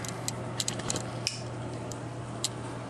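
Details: Sony NEX 5N camera recording handheld video, off the tripod: sharp light clicks at uneven intervals over a quiet hum as the camera moves; owner suspects a mechanical orientation sensor inside.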